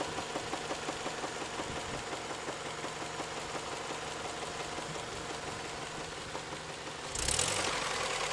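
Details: Toyota 3S-FE engine at warm idle, knock appearing after warm-up: hard, fairly regular knock near three per second over the engine hum; heavy internal knock of unknown origin.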